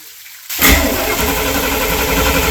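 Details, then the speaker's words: Sea Ray boat, Mercruiser Chevy 350 5.7 L 260 hp, started after a power steering leak check found the cooler dry: a quiet start, then it catches at once and settles into a steady, even run with no knocks. Normal start. "the other good news is we get to fire up this 350 with 260 horses of Fury and listen to it sing"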